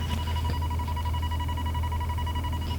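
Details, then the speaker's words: 1994 Gulf Stream 8340 diesel pusher motorhome; continuous high buzzer over diesel drone, low-air light and alarm on while both air gauges read 120 psi; light suspected of reading incorrectly, not confirmed. "I just wanted to point out that the low air is on and the two air gauges are they're both up reading 120 psi so I just think that light is reading incorrectly and then there's also a little alarm on"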